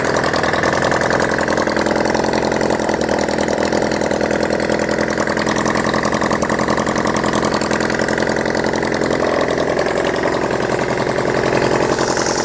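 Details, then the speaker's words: Honda CD175 single after resetting the timing, running with no exhausts fitted: a loud, raw open-pipe idle with a slightly uneven popping beat, about three and a half per second, holding steady without stalling. How well it runs is unknown without exhausts. "I'm not too sure just how well it's running now because I haven't had the exhausts on"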